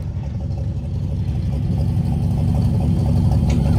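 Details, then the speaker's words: 1962 Bedford TJ truck engine revived: uneven, lumpy low running with a soft irregular beat and no crisp firing; almost no compression until oil reached the rings, then compression slowly builds. Low compression. "this is where you know we had almost no compression and then finally we got the oil through it the rings started to bend in built up some compression"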